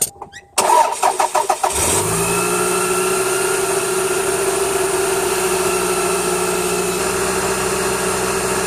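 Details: Toyota Camry 2.2L 5S-FE I4 after timing belt, water pump, seals and pulleys replacement and drive belt retensioning; brief cranking, then smooth steady idle with faint belt whir, no ticks or squeals; normal start and idle.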